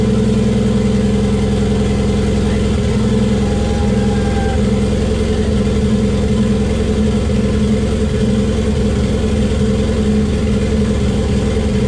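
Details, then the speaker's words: Toyota 1JZ in a Datsun 280Z on first start with a hand-built ECU base map: steady, fast idle with an even exhaust note that never settles lower; kind of high idle, exact RPM unknown. "It was kind of high idle, but that's cool."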